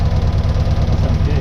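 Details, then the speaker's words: 1966 Austin Healey Sprite four-cylinder with a new electronic distributor, timing just set before tightening: a steady, even low idle with a regular pulse and no misses or knocks. Normal idle. "oh yeah that sounds great hell yeah it's running again about right there i'll tighten it up"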